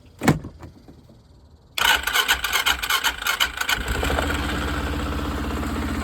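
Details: 2016 Arctic Cat TRV 700 SE quad after starter replacement: after handling, the new starter cranks briefly, engine catches cleanly and settles into a steady, even idle; normal start.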